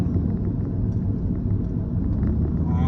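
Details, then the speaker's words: 1998 Lexus GS after front lower control arm replacement, driving: steady low road rumble with no rhythmic hum, growl or clunks; a wheel bearing was briefly suspected but it is just normal tyre and road noise. "Actually, it doesn't even sound like that. It just sounds like normal tire and road noise."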